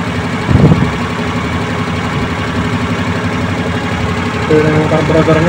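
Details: Suzuki Multicab F6A carbureted engine that would not start, now running after carburetor overhaul and cleaning, float valve and distributor adjustment: settles into a steady, even idle, then picks up cleanly when revved, no misses or knocks, running healthy.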